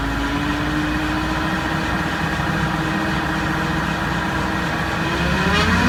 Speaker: Esto también suele presentar un ruido molesto, sobre todo cuando la velocidad del vehículo va aumentando.